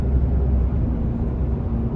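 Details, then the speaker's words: Ram 2500 on Kenda Klever RT tires at 28k miles, driving at 57 mph: constant low drone with faint steady hum under road rumble; a little tread noise from worn aggressive tires. "A little bit of noise there."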